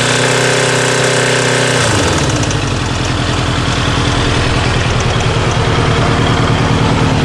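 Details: Kawasaki GPZ900R engine running with a loud, heavy, regular hammering knock about three per second, cause unknown; above 3000 rpm the engine starts to stutter.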